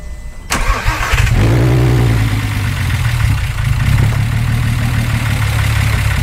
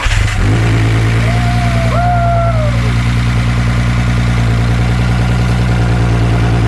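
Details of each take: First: VW Jetta started for the first time in years, brand-new valves in the head, zinc additive in thick break-in oil: fast idle with a light quick ticking over the rumble; valves loud until broken in and thinner oil added. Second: VW Jetta first start in years: fires right up and settles into a loud even deep idle, steady beat, no knocks or misses; good idle, to run about 10 minutes then drain oil.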